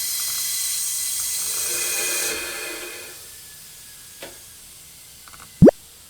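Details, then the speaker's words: Porsche 996 Turbo under a boost/pressure leak test with the turbo intakes not blocked off: a loud steady air hiss bleeds off over two seconds, with a small leak at the silicone coupler; the main leak is down at the turbo inlet. "something so I have a leak down at the turbo which makes sense cuz it's going to come back up through the intake"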